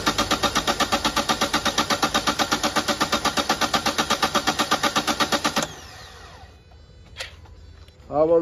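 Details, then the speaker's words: Toyota Etios diesel, previously misfuelled with petrol, tank drained and new diesel filter assembly fitted: starter churns steadily about eight beats per second without catching; long crank from injector back leakage into return lines. "ইঞ্জেক্টরের back leakage আপনারা দেখুন কীভাবে কোন ইঞ্জেক্টরে back leakage করছে, আমরা সেটা আপনাদেরকে দেখাবো।"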